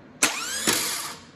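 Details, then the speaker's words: Known-good air-cooled VW starter bench-tested on an engine stand with a 12 V battery, no engine fitted; two sharp engagements, each winding up cleanly with enough torque to move the bell housing; normal starter spin-up. "you can hear it wind right up there has enough torque to move the whole bell housing a little bit"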